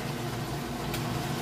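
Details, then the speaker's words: Whirlpool Ultra Care II top-load washer on Super Plus, moving from wash into rinse: even, steady low hum of the drain pump pushing water out, no grinding or rattle; normal drain pump operation. "Alright, moving out of the wash cycle into the rinse cycle. We'll get a listen on that pump. Doing a real good job pushing that water out."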